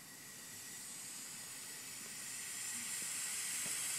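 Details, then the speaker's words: 1978 C3 Corvette with LS1 and Holset HX55 turbo kit, engine off, intake pressurized to about 5 PSI from a compressor: a steady hiss of escaping air grows as pressure builds. Significant boost leak in the intake tract. "can already hear the leak pretty significant"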